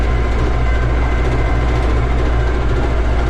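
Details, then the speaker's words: Minneapolis Moline A4T tractor on a slow shakedown road drive on old tires, temperature rising and oil pressure good. A steady rumble with loose clatter over it: the cab roof and doors rattle. "the roof is still clattering away. The doors are still rattling. Wouldn't be any fun if it didn't make some noise."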